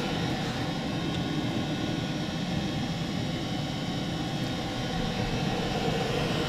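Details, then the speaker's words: 2 kW Chinese diesel air heater on maximum, drawing about 2 A, 67 dB, about the same as the bigger heater: even steady roar with a low rumble and no rattle or pulsing; normal running. "so the heat is running very well the sound [Music] at 67 decibels"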